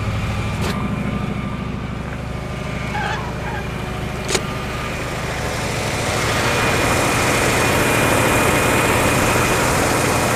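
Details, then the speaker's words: 1956 Oldsmobile 88 V8 running after long storage, with the fuel line fixed and the battery charged. The idle is even and steady with no misses or knocks, a little high. No smoke from the breather or exhaust. Owner suspects an earlier stuck valve and uncirculated oil. "It's probably just oil hasn't cycled for a really long time, but sounds like it runs pretty good. The idle sounds a little high."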